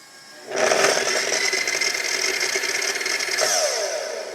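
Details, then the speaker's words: Makita miter saw after about 2 hours and 16 cuts in 1.5-inch elm: the motor whirs up slowly and settles on a low, weak hum, never reaching full speed. The owner doesn't know the cause and reports a kickback. "listen to it start up it kind of takes it a while to get going and even when it gets going it's not going fast"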